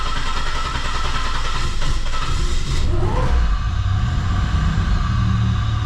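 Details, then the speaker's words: 1985 Pontiac 6000 wagon with a swapped 3800 supercharged V6, just after replacing the fuel injectors, with fuel dumped into at least cylinder three. Deep, uneven rumbling idle that lurches and rises as it catches; the engine is flooded and running rough until it clears. "Definitely flooded. So, we're going to let it run for a couple minutes to warm up a little bit, clear some of that excess fuel out of there, and then we'll be able to tell if it's running smoother or not."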